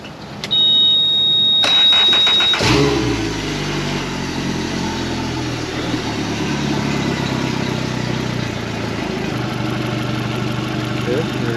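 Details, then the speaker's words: 2017 Suzuki DF115 four-stroke outboard after overdue 300-hour service (oil, plugs, water pump, gear oil, anodes, fuel filters) for rough idle and stalling: warning beeps, then instant start and steady even idle with no stumble or knock. "Let's go ahead and fire this thing up. Make sure we're peeing water shifting. Nothing's leaking. Make sure she still sounds good."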